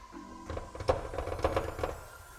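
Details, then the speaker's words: 1995 Nissan 240SX S14, high mileage, while driving: irregular light clacks and rattle from the trunk lid because its small rubber stops have hardened, broken or fallen off; the car also has accident damage to its rear. "i know this is really common on s13s too when the little rubbers on the hatch uh either break or fall off or get super hard like this it'll start to rattle a lot which this one you can hear too when you're driving there's like a little bit of this going on"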